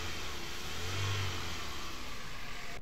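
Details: Car engine after overhaul (head, pistons, block sleeves, bearings, manual gearbox; coil and injectors checked) for a no-pickup misfire complaint: revs up smoothly and drops back cleanly with no misfire, knock or stumble; sounds healthy.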